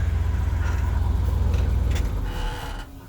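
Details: Diesel truck idling with the PTO off after the blown exhaust manifold was properly repaired: deep, even rumble with some air compressor chatter and no exhaust ticking left before it winds down; healthy idle.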